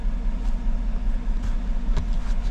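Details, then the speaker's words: 2014 GMC truck, 5.3L V8, 81,000 miles, idling: deep uneven stumbling beat with occasional missed pulses, no lifter tick; random misfire code, live data points to cylinder 1; later traced to a faulty number 1 ignition coil. "it's got a misfire let's check it out check these trouble codes here see what it says yep random misfire misfiring startup"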